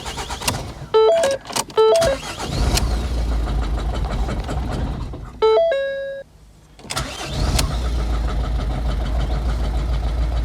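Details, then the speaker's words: 2011 Ford Focus 1.6 TDCi diesel just started: an uneven, lumpy idle over dash chimes, a bit smoky with a tick. No fault codes; the owner suspects an injector, unconfirmed. "Right, so I've got the key. I have already started it up. It sounds like a bag of shit."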